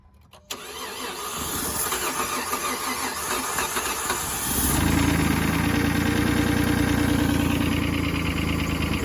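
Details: 2012 Dodge Journey crank-no-start: rhythmic cranking about three turns a second, then it catches and runs briefly only on starting fluid sprayed into throttle intake; fuel pump heard but no fuel from line; suspected out of fuel or fuel pump.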